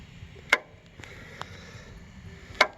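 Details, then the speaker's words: Encore Fuzion mower, Kawasaki FR600V, no start, starter unhooked, battery good: two sharp single clicks about two seconds apart, no starter turning, test light shows output side hot; normal solenoid click, fault traced to a bad grounded starter. "when you click the solenoid you can see I have contact on this side now which means this is now hot"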